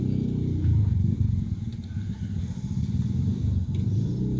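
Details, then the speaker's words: Honda CR-V after reinstalling loose alternator/tensioner bracket and bolt: even, low engine rumble with no rattle or tapping; former rattle gone, normal running. "yan diyan naitubo kaya mga idol nawala na 'yung wala na 'yung tagalkal Tahimik na."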